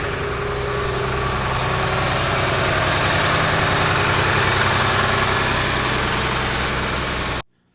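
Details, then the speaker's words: John Deere 850J dozer, 9.0L diesel just rebuilt and reinstalled, at idle: steady tick about three or four a second riding on the idle, getting worse; louder on camera than in person; source not yet found. "all right guys I'm going to jump in here this um Dozer has a slight tick to it and it seems to be getting a little bit worse"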